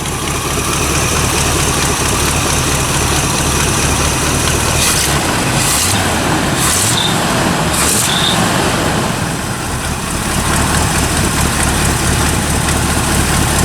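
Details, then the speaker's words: 1974 Corvette C3 after motor swap, running on builder's tuned old engine and intake manifold, mufflers still on and very quiet: deep steady V8 burble with a few sharper throttle bursts, running smooth and healthy. "It's super quiet, so I'm going to pull the mufflers off of it and just see how it sounds."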